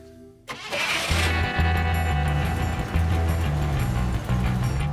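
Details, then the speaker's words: 1962 Rambler convertible, small four-cylinder, after new control arms installed, before a test drive: starts quickly and settles into an even, steady idle with smooth low hum; engine ticking along fine. "engine's ticking along it's just a little little four cylinder but everything's working great"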